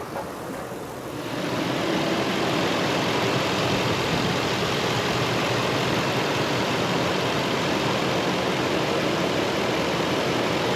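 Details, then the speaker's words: Nissan Titan VK56 V8 after a full rebuild, following a 50-mile drive with coolant never above 200°F and clean shifting: low, even, smooth idle with no knocks or ticks. Normal idle. "i drove 50 miles uh the coolant never got above 200 degrees uh it ran smooth it ran perfect it shifted through all the gears just fine"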